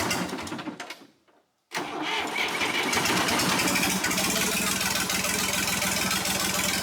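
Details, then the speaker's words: John Deere 350B bulldozer rebuilt diesel: brief crank, then clean steady even low idle without misses or knocks; normal start and idle, only the winch not working. "well that started off pretty well the only thing that's not working right now is the winch"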